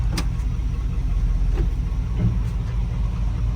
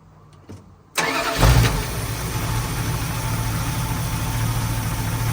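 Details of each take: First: 1981 Dodge Ram 350 with an Edelbrock 600 CFM carburetor. Deep, uneven, lumpy idle with ticks and surging, from a clogged idle jet/circuit; owner later cleared it by blowing compressed air through the idle circuit. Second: 1981 Dodge Ram 350 with Edelbrock 600 CFM carburetor, after blowing out the idle circuit with compressed air and resetting mixture screws half a turn out: starts and settles into a steady, smooth idle; rough idle fixed.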